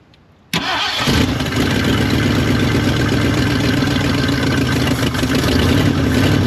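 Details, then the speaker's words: Old Ford dentside F150 revival, engine started after sitting: catches quickly and settles into a low, slightly uneven idle that won't rise; idle adjustment bottomed out, owner suspects a possible vacuum leak. Low idle that will not rise. "I can't get it idled up anymore. The idle adjustment is bottomed out. Ah, so I don't know if we've got a vacuum leak somewhere, but it will not idle up."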